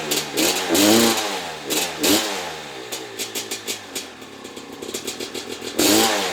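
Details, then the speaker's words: Maico 660 two-stroke dirt bike rebuilt with new reeds and reed intake and clamp-on air filter, stationary: sharp ringing throttle blips dropping back cleanly; started and restarted easily, only idle needs setting, exhaust pipe sealed; normal running. "Alright, so I didn't take it for a ride or anything, but started up easy, and it also restarted easy. Needed just the idle, but other than that, I think that this is good enough to try out."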